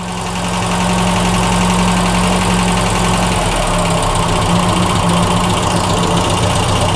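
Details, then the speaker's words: Mk1 Ford Fiesta Ghia 1.1 carburettor barn find, cold, choke pushed in, idle around 900 rpm, thought a little too low; a steady low drone with occasional stumbles and splutter, suspected to be choked up. "oh she's running she's running at 900 8 5900 little bit too low there little splotter and see if fuel little bit SP I think he's a bit choked up"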